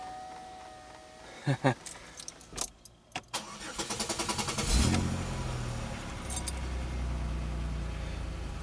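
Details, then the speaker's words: 2003 Pontiac Grand Am GT coupe after new battery: several quick cranks with clicks and a longer spin before catching and settling to idle; owner believes the extended cranking is because cam and crank sensors must relearn after everything was unplugged. "now the extended cranks from my understanding is because i had everything unplugged and stuff the cam and crank sensors have to be re-calculated and stuff"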